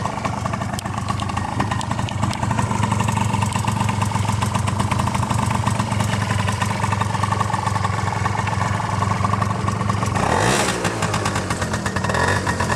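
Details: Honda Tact AF24 moped running cold at idle: fast steady tapping over the engine note; knock appeared along with heavy smoke, owner doesn't blame a clogged muffler; cause not yet pinned down.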